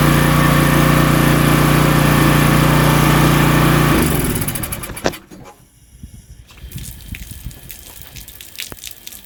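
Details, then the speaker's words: Pressure washer small single-cylinder engine, rebuilt two years earlier, known leaking manifold, just got fuel after the carb line was reconnected: firm, steady thrum with pump loading it, then shuts down; pressurized water, normal running under load. "Or I'd say it definitely pressurized the water. Well, that was good news."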